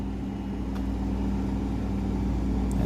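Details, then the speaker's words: Friedrich window air conditioner, room already at 61, compressor kicking on with a noticeable start then a steady low hum, no rattle or strain; normal compressor start. "but this one's very noticeable when it starts up"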